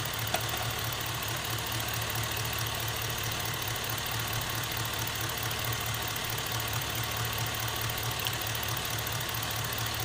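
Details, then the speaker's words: Suburban with a swapped GM 5.3L LS engine at idle: the beat turns uneven, with a soft stumble about twice a second as a cylinder drops out intermittently; a bad connection at the coil pack is suspected; the scanner later showed a few misses on cylinder 6. "or the coil pack i'm definitely missing now"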